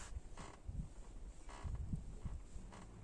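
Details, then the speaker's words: Driver-side pillar trim creak on a 2014 Renault Fluence: dry, irregular creaks and groans as the pillar trim is worked back and forth by hand; same creak occurs over bumps and when the door is moved, cause unknown before disassembly. "можно просто стоит пошевелить она будет скрепить туда-сюда очень бесит на неровностях курсов играет и получается такой скрипт непонятно с чем связанный"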